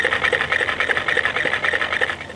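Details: Mercedes-Benz GLK350 on a load/road simulator rig, heard through an electronic stethoscope: rapid regular squeaky ticking, about five a second, rising and falling with each suspension stroke. Front suspension creak; suspects being narrowed down, source not yet confirmed.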